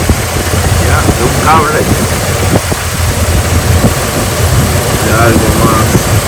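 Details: Jeep Liberty engine misfiring at idle, with spark being checked. Idle stumbles with uneven, skipping pulses instead of a steady beat, as if one cylinder is dropping out.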